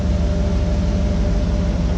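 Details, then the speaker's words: 2013 GMC Yukon Denali Z55 AutoRide air suspension, newly installed air compressor running with engine idling: steady even electric hum with faint constant whir as it fills the air shocks; normal operation. "I'm gonna start this thing up. We should hear that compressor turn on."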